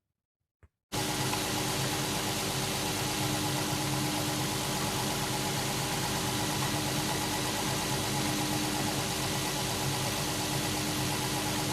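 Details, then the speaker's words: 2008 Infiniti EX35, 3.5 L VQ35HR petrol V6, warming up at idle after cold start: loose, uneven floating knock about three times a second, heard from top and bottom; 90% likely rod bearings, blamed on low oil with aggressive driving. "В общем послушав прогрев двигатель стуки появляются И сверху и снизу плавающие не постоянные поэтому однозначно сказать невозможно но 90 процентов это шатунный вкладыши"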